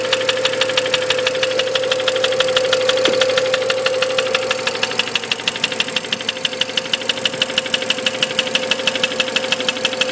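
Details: BMW 335 with the N54 engine: a sharp, regular ticking knock about 1.5 times per second rides steadily over the running engine; the cause is not identified.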